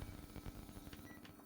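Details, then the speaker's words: Panasonic 100 V single induction cooktop, plugged into 220 V by mistake, heating a pot at full power (about 1400 W): steady low hum, faint fan rush, light clicks, working normally. A blown protection capacitor is suspected. "Mình sẽ bấm nấu cấp nấu Xem nà bấm nấu này bật lên này Ồ đã ăn công suất này các bạn"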